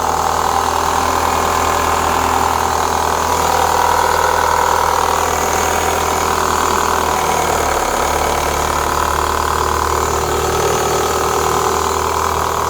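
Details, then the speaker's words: 2004 Renault Clio 182, first start after years; steady idle with light uneven ticking from the top end, bottom end judged fine (not big ends/crank); worn dephaser pulley, cambelt change planned. "there's a little noise at the top give it a tiny Rev that don't sound too bad I mean if it was like big ends crank anything like that it would be a lot more rally that sounds all right to me there's something up the top here"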